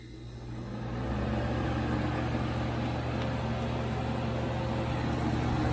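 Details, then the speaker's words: 1980s Super dehumidifier with R-12 refrigerant, final test after fan motor replacement, grille and bucket fitted: steady low hum under even rush of fan air, no rattles or knocks; moving lots of air, running smoothly and healthy. "oh yeah that's moving a lot of air"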